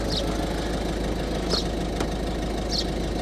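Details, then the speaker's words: 2011 Ford Focus 1.6 TDCi diesel, suspected injector problem, warm idle after 10 minutes running: even, steady idle with a uniform low rattle and no stumbles, sounds settled. A slight misfire and chugging appear later. "So it's been idling now for 10 minutes. It's perfect. I'm not saying it's perfect because it isn't perfect, but it's idling perfect."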